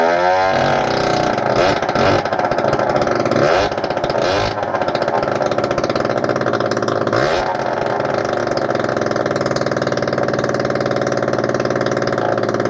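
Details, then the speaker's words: Honda AF18E two-stroke scooter engine swapped into an AF09 scoot, first start after fixing an undone part, running on choke with exhaust port packed and no exhaust fitted: steady raspy buzz with a brief rev blip, smoky but running fine. "Well, call that a smoky success."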